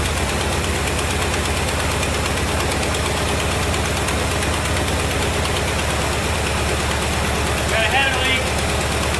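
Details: 1973 Chevrolet Corvette C3 revival, run after a shot of gas down the carburetor: steady low, even idle with regular beat, no misses or knocks; a little smoky but not worrying; normal idle.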